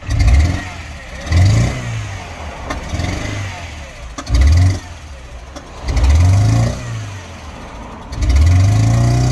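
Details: Mini Cooper R56 N12 petrol engine with good fuel pressure, coils and new plugs, timing checked by oscilloscope, inlet manifold changed and no fault codes: stumbles and pops back through the intake on repeated revs; intake backfire, suspected Valvetronic fault.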